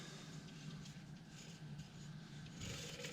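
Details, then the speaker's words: Removed alternator from 2002 Chevy Silverado 2500 HD 4WD 6.0L Vortec, hand-spun off the truck: rough, gritty rumble with uneven scraping as it coasts down; worn bearing, cause of the growling under the hood. "Listen to that. Just shot. Yeah, that was definitely making some noise."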